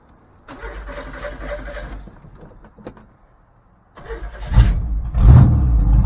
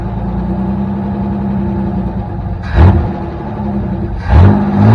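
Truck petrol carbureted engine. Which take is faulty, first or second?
second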